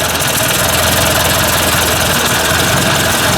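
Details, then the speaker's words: Ford 800 tractor warm-up after a fuel tank install: steady idle with a rhythmic puff from an exhaust leak, plus faint tapping the owner puts down to slightly worn main bearings. "i can just hear that puff in there yeah right out of there not much i can do about that i could have siliconed it i guess but"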